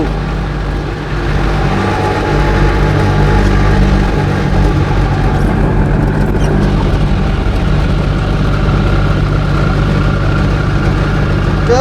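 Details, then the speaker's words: Invacar with CVT belt-pulley drive, climbing a hill at steady high revs, one pulley broken: coarse, uneven droning rumble from the drive; owner unsure whether pulleys are misaligned or one is too rough. "see the engine is actually keep keeping the revs up like it should it just sounds horrible I don't know if the pulley are out of alignment if one of the pulley is just too rough but it's not good"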